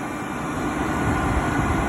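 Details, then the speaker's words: Vintage Oster Professional Portable Hair Dryer with a loose part needing glue or a shim, running and heating up to hot air: even, steady rush of fan air over a low motor hum, no rattle or scraping; normal running. "But as you can see, it works, or you can hear it work. It is now starting to heat up."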